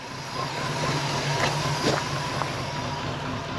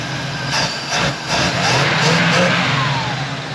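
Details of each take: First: Pontiac Firebird Formula V8 first started after sitting 21+ years, with fresh plugs and oil, idling and not taking throttle: rough idle with a thin steady whistle, a massive vacuum leak as the carburetor is coming apart. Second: Field-find Pontiac Firebird Formula carbureted V8, revived after 21+ years sitting with fresh plugs, idling a little high with linkages fixed, warming up: picks up cleanly on repeated throttle blips without stumble, burning junk out of the exhaust.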